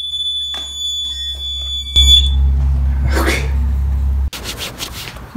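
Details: Watchdog portable water leak alarm on a 9-volt battery, sensor wire submerged in a pan of water: steady, loud, high-pitched electronic tone for about two seconds. Leak detected, alarm sounding.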